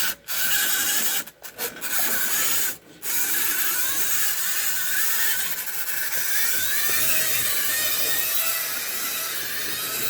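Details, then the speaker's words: Tyco Santa Fe F unit model train locomotive, after restoration, tested on track: continuous raspy, gritty grinding over the small motor whir with brief dropouts; odd noise, cause not pinned down, owner suspects poor contacts. "odd noise that it makes. Weird."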